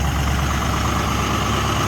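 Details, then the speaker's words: WJ warming up on a cold morning at high idle of about 1,000 rpm: a steady, smooth idle with an even low hum and no tapping, knocking or misses, so the engine sounds healthy. "She sounds good now, so let's let her warm up, and then we're gonna go buy something."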